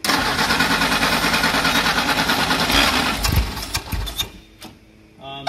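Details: Old carburetted classic car in a long-stored warehouse collection, on jumper power with starting fluid sprayed: starter cranks at a steady chug for several seconds without catching, then stops; cranks but no start.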